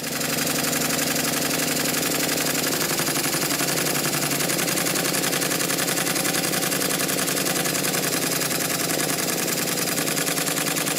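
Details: Model triple expansion steam engine, water pump and loud vacuum pump disconnected: quick, even exhaust chuffs and light mechanical patter at a steady pace, no knocks standing out; engine runs smoothly.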